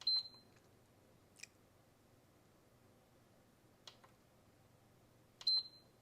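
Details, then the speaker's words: PS5 Slim Digital previously worked on, AC power applied: one short beep, a few faint clicks and near silence, another beep five seconds later; blue light comes on then straight off, beep-on-off fault. "Oh, there's a blue light. And it came on and went right back off."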